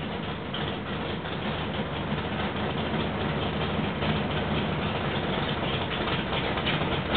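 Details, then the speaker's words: Rebuilt 1968 L88 427 Chevy big-block V8, hydraulic roller cam, 9.6:1 aluminum heads, timing 36°, start-up: deep even burble, no knocks or misses; sounds like an old L88, normal idle and revving. "it sounds really good it sounds pretty much like an old L88 just like it did back in the 70s"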